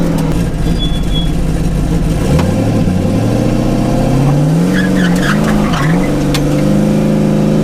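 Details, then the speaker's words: Mazda RX-7 rotary street build, road driving: it pulls smoothly with a clean rising and falling note and no misses or knocks. Temperature cruises at 168°F and creeps to 173–175°F at a stop. "Thing ran great."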